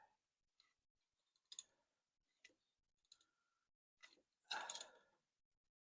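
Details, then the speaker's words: 1967 Ford Mustang abandoned 20 years, engine turned slowly by hand after being freed: light clicks, then a brief gritty crunch. Owner thinks it may be the distributor, not yet inspected; no mechanical banging heard. "actually I think that might be I might be hearing that in the distributor I haven't even taken that off to look at it yet I don't hear any mechanical banging going on anywhere so that's good"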